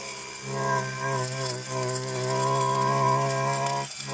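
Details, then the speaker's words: Stihl FC 56 C edger after full-throttle problem repair, cutting a walkway: steady high-revving two-stroke buzz holding even pitch with only a brief dip under load; runs and cuts cleanly. "So, that sounded really good. Ran really good. Cut really good."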